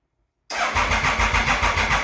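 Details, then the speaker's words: 1996 Triumph Thunderbird, bought as a non-runner, first start attempt on choke after the sprag clutch repair: even, rapid cranking of about eight pulses a second. The earlier clanking is gone and the starter engages cleanly. "It's really good because we're not hearing those clanking that we heard before."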